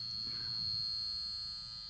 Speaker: and the Great Ghost Kansas City Southern 2001 is also buzzing why because the tracks are set to DCC